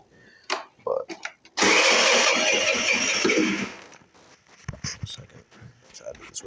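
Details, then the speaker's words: 50cc Wildfire R8 scooter, cold start, new battery fitted: starter cranks with steady rhythmic pulses for about two seconds but never catches; cold no-start of unknown cause, starts readily once warm after a couple miles. "I got this 50cc Wildfire R8 not starting in the cold. When she does start, if I drive her for a couple miles, she kick starts right up. But in the beginning, this is exactly what I deal with every day."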